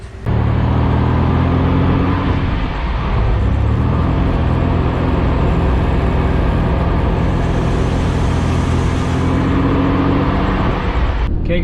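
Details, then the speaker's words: 1997 Toyota Tacoma 3.4 L supercharged, manual, 4WD, test-driven after replacing the failed driveshaft center support (carrier) bearing that caused harsh vibration and clanking: steady road rumble, no thump or drone; smooth driveline at speed. "that was in it took care of the vibration man it was bad before the whole car was like"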